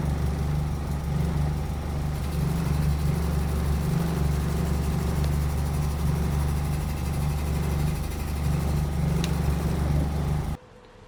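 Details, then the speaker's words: VW Golf Mk1 with swapped 2.0L 8v engine, phone clip of an intermittent noise that later vanished: steady running with an uneven low thrum pulsing about four times a second; cause unfound, owner hopes removing gearbox reveals it. "however i did take a clip of the noise with my phone that way i can at least prove that something was wrong before"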